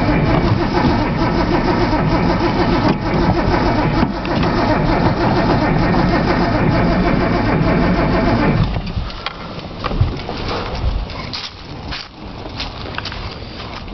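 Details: Nissan Z, long crank no-start: starter churns steadily about 3.5 beats per second for eight seconds without catching despite starting fluid; cold start valve found unplugged, cause unconfirmed.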